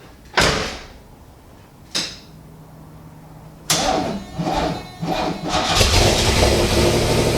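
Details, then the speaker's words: Pontiac Fiero with its 2.8 litre V6 and five-speed, last test start before swap to supercharged 3800: a few cranking bursts, then fires and runs with a smooth steady note, no knocks or rattles; healthy engine. "so we'll do one last test start and then jump in alright let's listen to this engine in this car for last time"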